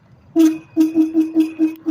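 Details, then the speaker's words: Laotie Ti30 electric scooter rear hub motor: rough buzzing bursts about every half second under throttle, motor jerking, cutting out and losing torque; it wasn't like this before, cause unclear. "making that sound with the throttle pull. And that's the issue I'm having."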